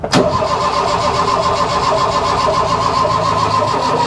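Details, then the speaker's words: Mk1 Ford Fiesta Ghia 1.1 barn find, boosted with a jump pack: steady, even cranking churn for several seconds with no firing or pickup. Cranking no-start; they suspect rusted, rotting spark plugs. "it could be the case that the plugs are rusted up which I would probably I would say they are anyway cuz that one looks looks like rotting"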